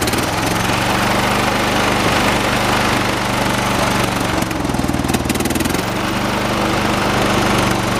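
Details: 1986 John Deere 216 16 hp single-cylinder tractor, engine running outside while carburetor is adjusted with screwdriver: uneven, shaky chugging beat that changes with adjustment; rough running, mixture still being set; shaking said normal for these engines.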